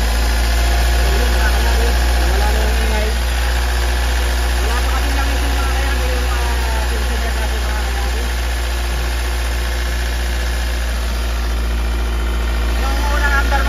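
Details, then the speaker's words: 2013 Hyundai Starex diesel after its valve lifters were replaced; the noise is gone once oil reaches the tensioner. An even, steady low idle clatter at three to four beats a second with no lifter tapping. Healthy idle. "Ngayong umahon ng mga kayabe, ayan. Wala na yung ingay."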